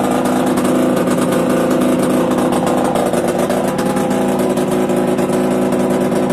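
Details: Yamaha DTR 125 two-stroke, engine from a 2007 electric-start bike, first start after new unrestricted Gilera SC CDI, new seals, powervalve fully open, 240 main jet, Big One exhaust; crisp rapid crackle, even through quick throttle blips, normal idle and revving.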